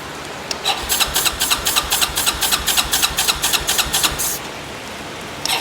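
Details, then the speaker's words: Yamaha four-wheeler bought broken, running on a jump box with the fuel valve on reserve: the starter chugs about four strokes a second with no firing, then a brief retry. It cranks but won't start, and the owner wonders whether fuel reaches the carb. "Okay. I wonder if we're even getting fuel to the carb."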